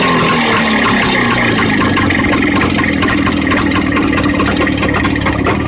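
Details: Jawa 634 two-stroke engine running with an uneven rapping knock about two per second, no steady rhythm; knock inside the engine.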